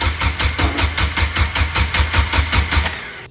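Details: Turbo Suzuki Forenza, first start attempt after the turbo setup, fuel pump fuse pulled earlier to prime: even rapid cranking around three beats a second that never catches, because the fuel line was full of air; possibly old fuel too.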